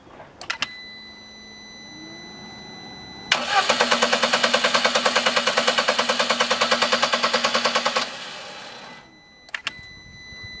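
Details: Lada Priora petrol engine just restarted after an oil change with additive shows fast, even metallic hydraulic lifter tapping before oil pressure builds; the oil pressure warning light goes out.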